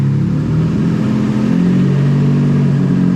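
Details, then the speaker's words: Honda Civic hatch with nitrous stroker V6 swap on new ECU base map, later start: even, steady, relatively low idle with smooth drone, no stumbles or knocks, much better than the earlier high idle; running cleanly. "I'm gonna fire it up real quick so you guys can hear it sounds much better on the idle it's a again idles at a relatively low idle compared to how it was the other day"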